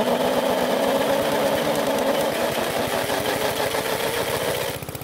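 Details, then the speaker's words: Worn-out PowerSmart mower engine with low compression, cranked by drill: slow, laboured chugging around three beats a second before fading out; took a lot of turning and was very slow to start. "First, it took a lot of turning before it started to run, and secondly, it was very slow to start."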